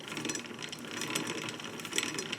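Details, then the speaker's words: Dixon lawn mower, wheel spun by hand while adjusting, after it had been catching on the bottom: light, fast ratcheting clatter. This is normal drive chain noise, nothing rubbing. "like i was actually hitting the bottom that's the chain making all that noise by the way"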